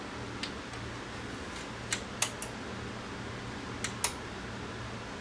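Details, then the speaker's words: Pioneer VSX-522 AV receiver, dead but with standby power; after shorted parts were disconnected, the unit powers on with a few sharp irregular relay clicks over a low hum. The display goes out but it does not shut down. "turning on I hear a relay clicking and I'll be a display on the front here"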